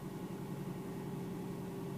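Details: Mercedes Sprinter 311 CDI diesel van, around 2003, injector still suspected of puffing; quiet, smooth, even diesel hum at idle, steady low drone with no knocks or ticks; engine sounds healthy.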